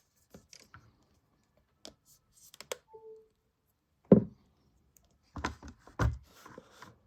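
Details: Preordered Apple MagSafe Battery Pack: sparse, irregular light clicks and taps in a quiet room with no hum; clicking noise from the pack, cause unknown.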